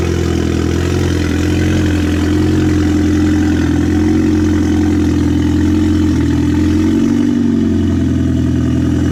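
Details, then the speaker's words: Audi A4 2.0T FSI, freshly rebuilt with JHM K04-R turbo kit, first startup, cold: smooth even low hum at steady idle, no squeal, tick or knock; oil residue burning off, getting quieter. Normal cold idle. "all right I guess it's awesome oil residue burning off a little quieter now it's gonna let it run for a while"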